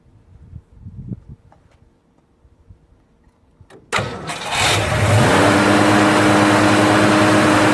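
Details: First start of a rebuilt 289 V8 after an almost two-year restoration, never run before: it cranks briefly, catches and settles into a steady, even fast idle. Oil pressure is great. Healthy.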